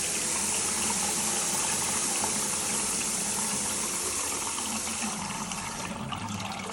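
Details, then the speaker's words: Washing-machine water supply line in basement gushing: steady, loud rushing hiss of pressurized water with no machine rhythm, mistaken for the washer running; water supply line leak, needs shutting off. "this it's not the washing machine running it's the uh wow that is really really bad well we need to shut it off"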